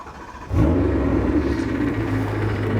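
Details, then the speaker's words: BMW E92 M3 V8 right after start-up: harsh steady drone over the idle that doesn't let up; failed AC compressor bearing, which could have caused catastrophic failure if not fixed. "probably hear it in the background have a listen to that sound terrible it sounds awful it really does poor thing"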